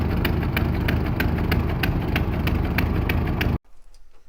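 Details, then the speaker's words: 1924 (also called 1925) Ford Model T, unrun for many years, first start after starter service: slow, slightly lumpy but even idle about three pulses a second, no knocks or misses, then cut off; normal idle, run without coolant. "is awesome it's got no uh cooling in so we better not let it run for too long"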